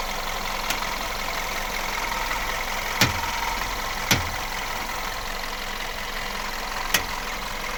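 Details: VW Golf Plus at standstill, idling while steering wheel is turned: four sharp irregular knocks, one every one to three seconds, from steering or front suspension.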